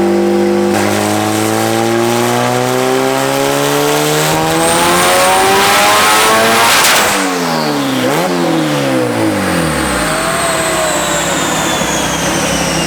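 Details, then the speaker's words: Turbo Honda Civic, B18C1 GSR swap on bone-stock internals, Dynojet dyno pull: pitch climbs hard, then power cuts abruptly and revs fall away early, likely hitting the boost cut set at 20 psi at 19 psi boost; it did not appear to go lean. "Pretty sure it hit boost cut. No shit. 19 pounds. Yeah, that sounds about right. The boost cut's at 20."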